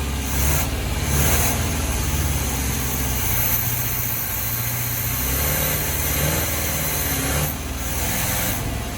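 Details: 1976 G10 van V8 that sat in a mud hole 15-20 years, first real start fed by a makeshift gas tank to the carb: it catches, settles into a somewhat uneven idle with a couple of throttle blips, then keeps running.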